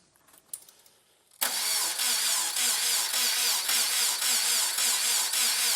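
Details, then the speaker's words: Repaired engine in a $1000 crashed Subaru WRX after coolant-loss engine failure: engine catches and settles straight into a steady even run with light belt chirp, a few noisy belts; healthy normal start. "Few noisy belts, but it sounds pretty healthy. Sounds like a Subaru."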